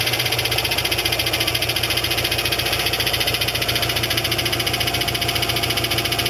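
Rapid regular clatter, roughly three to four raps a second, rides over the idle; a cracked drive plate knocking at the rear.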